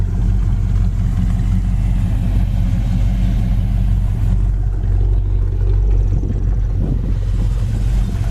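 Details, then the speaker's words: 1966 Ford Fairlane V8 with 4-speed idling: deep, steady, even rumble with no knocks or ticks; normal idle. "the V8 engine really sounds good idle nice"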